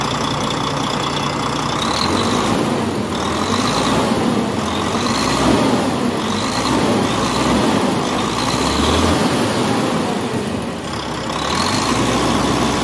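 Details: Volvo D13 truck diesel, valve clearance and injector adjustment job: steady, even idle with a gentle rhythmic chug and no sharp ticking or knocking; healthy idle.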